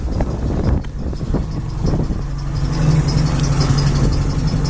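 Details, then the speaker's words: 1967 International Scout 800 pickup, freshly rebuilt, with Flowmaster exhaust, idling: a deep, even exhaust burble with a steady low throb and no knocks or misses. It runs like a champion, a normal healthy idle. "Pretty much what you see here is what you get. It runs like a champion. I don't know if I forgot to mention that the exhaust is a Flowmaster."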